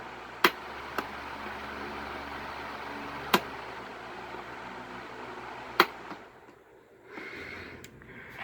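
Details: 1970s-1990s Galaxy 12-inch three-speed desk fan running high, medium and low; steady airy whoosh with switch clicks, motor winds down, runs evenly and normal.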